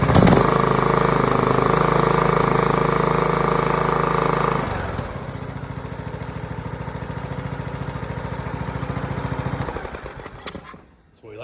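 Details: Briggs & Stratton OHV Intek mower engine, after replacing bad cam with compression release, crank seal and sump gasket (was hard to start and crank): runs strong at full throttle, even steady putter at idle, clean shutdown; normal start and run.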